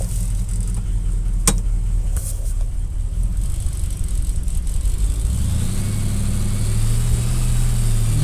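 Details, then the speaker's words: 1967 Plymouth Fury sitting 42 years, first run, smoking a little, leaking fuel, no brakes: engine rumbles as car rolls, then a low groan rises while steering; owner suspects low power steering fluid, not confirmed. "she's a smoking a little bit definitely no breaks should have checked the power steering fluid"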